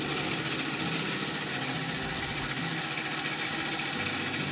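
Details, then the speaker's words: Antique wooden bandsaw bought at auction, on its first run after being plugged in. An even, loud mechanical hum with a bright hissy top and a steady pulse several times a second; noisy old machine, but it works. Normal running. "well she's a noisy old beast and I don't know I think it actually works pretty good"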